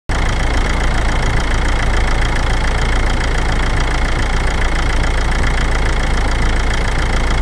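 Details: 2006 Toyota Avensis, 1AD-FTV diesel: deep heavy clatter with a steady knock at low revs under load (at 19 and 39 seconds); cause unconfirmed. Finding: engine knocking under load.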